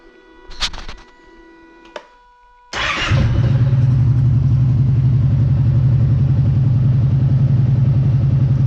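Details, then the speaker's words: Kawasaki Brute Force ATV at idle with the spark arrestor cleaned and reinstalled: it catches after a couple of cranks and runs a steady, even idle with no misses or knocks, sounding about the same as without the arrestor. "there you go I don't know if it's a big difference it all sounds pretty much the same"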